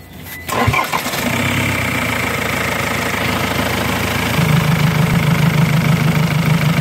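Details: Ford/Jaguar diesel cranks and catches, then idles unevenly with a lumpy, irregular pulsing beat; cause not yet found, a vacuum leak is being looked for.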